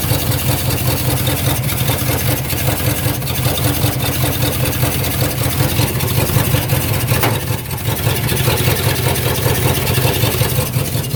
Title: 1999 Yukon popping sound at 8 and 53 sec